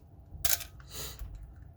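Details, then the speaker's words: Canon AE-1 Program after oiling the gears to cure shutter squeak: single crisp shutter release with clean mirror slap at normal speed, no squeal or sluggish drag; normal shutter operation. "notice how the shutter is going at the normal speed when I first show you the is going extremely slow so we'll compare that to the first one I showed you you can see it's working just fine"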